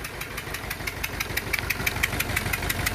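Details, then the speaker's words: Renault Clio 2 1.5 dCi diesel, unstable idle: sharp regular ticking puff about three times a second over engine rumble, compression escaping past two failed injector seals, engine running rough. "donc on avait les deux là qu'ils avaient d'eux qu'ils avaient de la qui habite la compression qui s'échappe qui s'échappe à l'extérieur"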